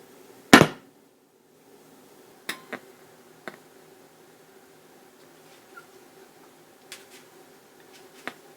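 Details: 1973 Luxman L-507 amplifier, 50 W per channel, on a cold start: one sharp loud pop, then scattered faint crackles over quiet hiss on the left channel before the relay clicks in; intermittent amplifier crackle and pop.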